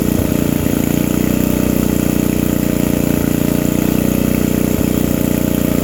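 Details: Old Briggs & Stratton 5 hp generator, just started with the air filter off, before its electrical output is tested: steady, even chugging with no misses or surging; runs smoothly, normal running.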